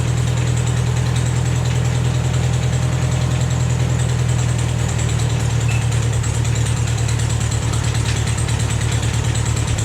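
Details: Vermeer 630A stump grinder small engine after rebuild, with a new choke cable and a rerouted fuel line now feeding the carburetor properly: steady low idle with even, slightly chattery beat, no misses or knocks.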